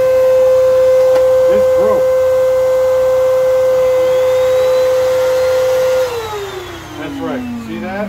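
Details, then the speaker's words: Old Kenmore vacuum, brush roll bound up with hair and not turning: steady high motor whine at one pitch, then winding down at switch-off; jammed brush roll. "this broke this is what started this this broke this doesn't turn got bound up"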